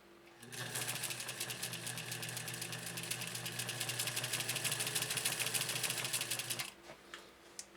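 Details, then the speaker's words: 1956 Atlas sewing machine, kept in one family since new, after a workshop service; about six seconds of fast, even, light ticking over a soft motor hum with no knocks or grinding, unbelievably quiet and healthy. "unbelievably quiet wow"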